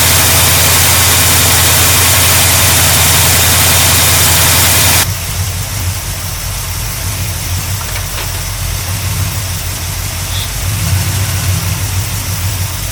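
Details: 1972 GMC Sierra Grande with newly installed replacement V8: loud hissy start, then settles into an even, steady idle, no knocks or misses; normal idle.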